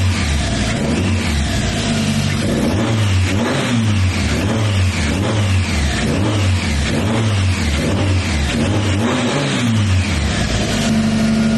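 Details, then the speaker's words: Turbo Miata after correcting exhaust cam timing (off one tooth) and re-tensioning belts: repeated quick blips rising and falling cleanly and evenly with no stumble or rattle. Normal, responsive revving. "It sounds really good. I guess it being off that one tooth on the exhaust cam made a pretty good difference."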